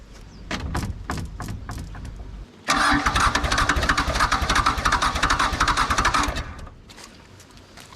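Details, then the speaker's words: Nissan N300 mini excavator diesel after water got into the oil (owner suspects a cracked head or block): the starter turns it over steadily for about 3.5 seconds but it never fires; cranks, no start. "well it didn't start let's try uh wd-40 up its hooter again see if that helps keep getting stuck"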